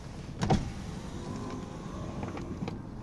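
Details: 2001 Cadillac Eldorado ESC, 31,000 miles: clunk at start, then smooth even power window motor hum with no strain or grinding; window regulator running freely.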